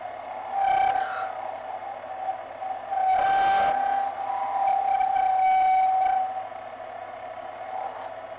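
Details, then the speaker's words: Lathe boring aluminum ring with boring bar: steady high whine through the cut, fading between passes; operator suspects dull tool, worse in thin-wall material; whine during boring cut. "can hear the material start whining a bit through the process I think my blade is a little bit dull here"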